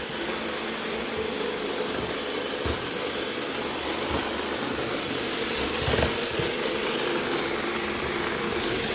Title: Irobot grinding noise